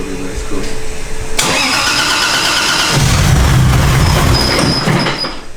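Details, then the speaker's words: Naturally aspirated, manual 300ZX with a widebody kit, not yet on the dyno, started with a laptop connected: it cranks, catches cleanly and rises into a smooth, even rev without misses or knocks, sounding healthy. "sounds healthy yeah let's yell this let's see how this thing drives"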